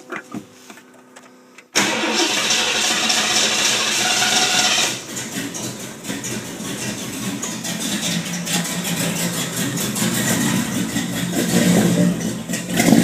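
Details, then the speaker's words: 1979 Ford with a 460 V8, not fully warmed up, after exhaust leak repaired with a sleeve patch: brief crank, then a loud, even, deep rumble with no puffing or ticking; exhaust is sound. "well she's not quite warmed up but that sounds pretty cool Sergeant"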